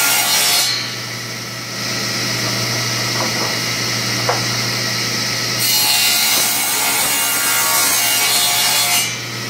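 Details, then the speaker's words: King table saw after bearing repairs and table alignment, ripping a 2x4: harsh rasping drag as the wood rubs the back of the blade teeth, because the fence sits slightly too close at that end. "my fence is a little too close on this end I don't know whether you noticed I was cutting cuts good here but I'm still it's rubbing on the teeth pretty bad at the back to finish the cut"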